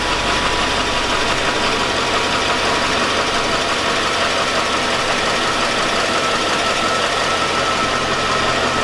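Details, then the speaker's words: 2002 Chevy Avalanche 5.3L V8. A rough-running engine has a loose metallic clank under the idle, about two a second. The owner says it sounds like rod knock, and three mechanics judged it not worth fixing. "it sounds like rock to me guys she's got that blanket clanking metal Clank"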